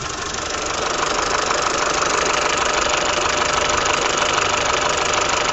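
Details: Peugeot/Citroën TU5JP4 petrol engine at idle with a steady, quick tapping knock of about three per second; the cause is unknown.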